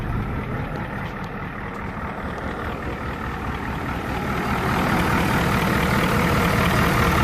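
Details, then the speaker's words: 7.3 diesel after replacing the serpentine belt and failing tensioner pulley that caused knocking; steady idle after glow plug warm-up, click gone, smooth running; normal idle. "No more jumping tensioner pulley. Click is gone. Smooth running. Sounds better already."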